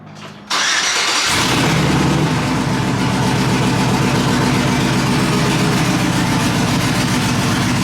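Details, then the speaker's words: Truck after exhaust leak fixed, owner says it no longer sounds like his truck: V8 catches after a short crank and settles into a steady, even idle with no ticking or puffing from the exhaust. Normal idle. "Turn it off. I don't like how it sounds. I'm gonna miss people asking me, what's that noise?"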